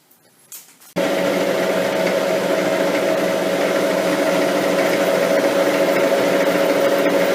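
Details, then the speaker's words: Lathe turning the slender lapping-arbor shaft after a steady rest was fitted to cure chatter: on a spring cut the cutting tone is steady and even with no stuttering or rattle, giving a clean, stable cut that is dramatically improved. "That's improved things dramatically. We'll just do a spring cut."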